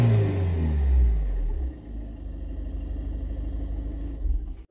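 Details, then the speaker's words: Citroën C4 HDi diesel, turbo kit change planned: revs up then drops to a low steady clatter, mostly engine rumble with only a faint turbo whistle. Sounds normal, though the owner finds it unimpressive. "Bon, tu l'auras compris, c'est pas vraiment fameux. On entend un léger bruit de turbo, mais on n'entend que le moteur. Et moi, le moteur, j'aime bien quand ça chante, tu vois."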